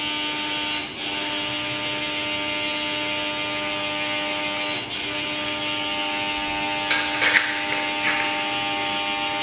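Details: KDK K14X5 fan: a steady harsh buzz of fixed pitch and constant level over the motor hum, abnormal for the fan.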